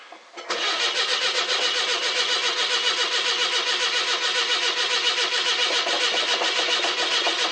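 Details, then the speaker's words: 42-year-old carbureted car with old mechanical fuel pump, cold start: fast even cranking about four turns a second without catching; no-start as fuel evaporated from the float bowl, oil pressure and battery fine. "The last time I tried starting her, needed to put a little bit of fuel in the float bowl. But we'll see what happens. It'll take a bit to get the fuel up to the carb."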